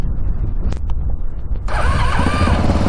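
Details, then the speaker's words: Stock Yamaha Raptor 700 single, cold start on a very cold day after a previously cracked case, which the owner hopes was caused by water: the starter churns briefly, then it catches and thumps steadily with no knocks and no warning lights. "Oh yeah, starts right up."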